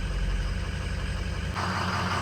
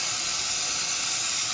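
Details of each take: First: 2003 Ford 6.0L diesel after replacing two failed injector O-ring seals that caused hot no-start: steady low even idle rumble with no misses or knocks while warming up; engine running smoothly after repair. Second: 2003 Ford 6.0L diesel, valve cover off, no start: shop air on cylinder gives a loud constant high hiss escaping past injector O-rings, far back and center seals both failed; leaking seals cause the no-start.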